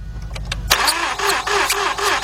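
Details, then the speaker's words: 2006 or 2007 Mazda 6 V6 from auction, cranks but won't start: starter spins fast and light, even rhythm, no compression pulses; hose test shows one cylinder dead, two weak. No compression; neglected oil changes, timing chain has play. "Notice that? Not a damn thing came out of here. Those two showed a little bit of signs of some kind of compression, but that one dead."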